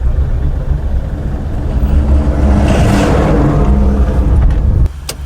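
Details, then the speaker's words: 2024 Mahindra Bolero BS6 diesel after clutch plate and gearbox repair, done because of clutch failure, poor gear engagement and a clutch fluid leak: the engine pulls smoothly and evenly under acceleration, no slipping, grinding or clunks; the gear shifts smoothly, a healthy drive. "ಮತ್ತು gear ನೋಡಿ, ಒಂದು ಫಿಂಗರಿಂದ move ಮಾಡ್ಬೋದು, ಅಷ್ಟು ಸ್ಮೂತಾಗಿದೆ."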